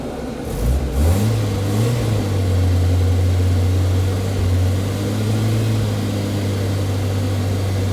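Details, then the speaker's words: Austin Allegro, after oil and coolant service, engine running warm while bleeding the cooling system with the electric fan cycling: settles into a smooth, even low hum after a light rev, no knocks or misses, better than before. Normal running. "Sounds a lot better than it did."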